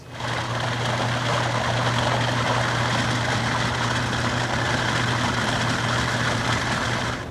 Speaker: this is the sound of cavitation when we look inside the pump we'll see what causes it and what effect it has on the pump itself